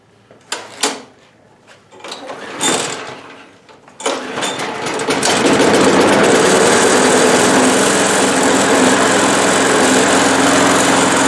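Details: Old Bolens 21-inch 4.5 HP self-propelled push mower, first start in six months after a new drive belt: a few primed pulls, catches at about four seconds, settles into a steady even buzz with no misses; runs healthy.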